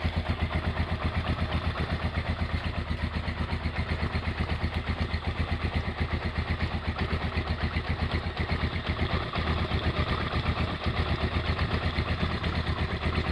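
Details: Honda GL100 single-cylinder engine, roughly 2000–2002, after full rebuild with Aspira piston and rings, CDI ignition, valve clearance 0.10; even steady idle about four firings a second, no knock or tick, smooth and healthy.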